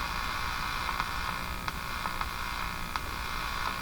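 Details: Lloyds LJ61G-118D clock radio that only hummed after being dropped, switched on with volume up during repair: a constant low steady hum with faint static and occasional crackles, no program audio. Mains hum; cause unconfirmed.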